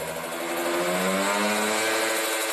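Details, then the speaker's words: Kawasaki Ninja RR two-stroke, Mikuni 28 carburetor, held around 7000–8000 rpm: slightly soft, burbly edge instead of a crisp scream; the mid-to-high range is set deliberately a little rich. "nah tatitu basah ya teman-teman untuk RPM Tengah menengah apa namanya RPM Tengah ke atas atau 7000 sampai 8000 Basah"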